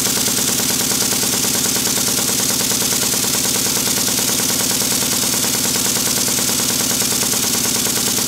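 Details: Restored Stuart model steam beam engine after fitting a silicone O-ring to the piston, reassembling the Watts parallel motion and adjusting valve timing: fast, even exhaust beats with light hiss, no knocks; runs fairly quietly, normal running.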